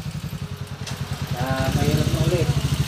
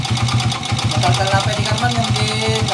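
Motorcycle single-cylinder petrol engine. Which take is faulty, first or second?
second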